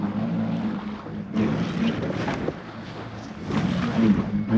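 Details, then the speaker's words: Foil Drive electric motor on a hydrofoil, rider less careful with mast height and throttle: motor hum surging and dropping with splashy bursts as the prop breaks the surface and sprays water; motor breaching and ventilating, wasting energy. "And I'm paying less attention. And the motor's coming in and out a lot."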